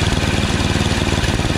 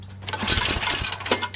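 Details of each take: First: Yard Machines snowblower with 8 HP Tecumseh engine after carburetor replacement (632334A copy) and new fuel line; previously surged, hunted and wouldn't prime. Idle screw turned up slightly, now steady even beat with no surging, primes fine; normal running. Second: Yard Machines 8HP Tecumseh snowblower before carburetor replacement: each recoil starter pull brings an intermittent crinkly metallic rattle. The owner first suspected a loose screw; it was a loose nail caught near the recoil housing.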